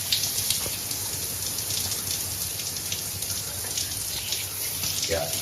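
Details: Grohe thermostatic shower mixer just replaced after the old one stuck fully hot or cold, water running while the temperature is adjusted; steady, even hiss with no sputter, hammering or valve squeal; normal flow.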